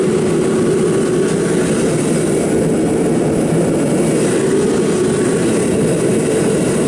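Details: Kerosene torpedo heater, seven years old, after service for hard starting blamed on fuel left over winter: smooth steady roar of fan and flame, no rattle, buzz or surging; pump now much quieter, running normally.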